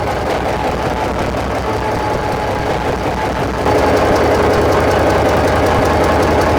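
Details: EMD SD45-2 diesel locomotive started outside after freeing stuck fuel injectors, with the troublesome injectors still disconnected; deep steady slightly uneven idle thrum, two to three beats a second.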